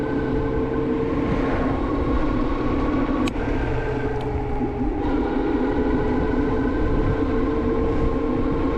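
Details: HyperScrambler 2 on a short test ride after applying Squeeealll Out anti-squeal paste, on a cold day: a sustained high wavering squeal through the stop over road rumble. The front disc brake still squeals.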